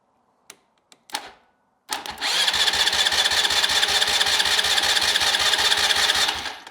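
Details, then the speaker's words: Neglected ATV that sat unused and won't crank; starter relay terminals jumped with sparks, then starter spins with steady churning pulses; starter good, relay/solenoid suspected bad and to be replaced. "There we go. So our starter's good, but I'm thinking we have a bad relay here."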